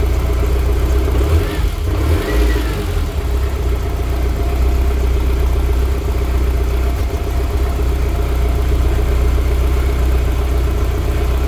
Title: e30 m3 s14 random misfire at idle.#bmwm3 #bmw #e30m3 #s14 #itb